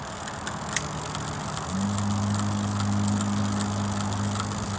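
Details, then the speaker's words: Bicycle rear derailleur with the index adjuster deliberately turned too far counterclockwise. As the chain turns, a light, uneven ticking of about three a second is heard, an excessive chain rattle from misadjusted indexing. "there's a slight rattle can we can we hear that noise a slight rattle let's see if we can find the worse one there it is"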